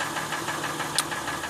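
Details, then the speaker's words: Recently purchased used 2007 Honda Ridgeline in park with AC and fan off: sharp, regular ticking knock about six or seven times a second over a steady idle; engine knocking noise, source unknown. "this is the noise coming out of my car the car is in park the air conditioning is off"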